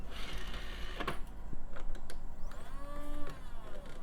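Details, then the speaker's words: Old PC optical drive with a stuck disc: thin motor whirr rising and straining while the tray stays shut, labouring to eject; a perished belt is suspected. "that's definitely got a perished belt or something"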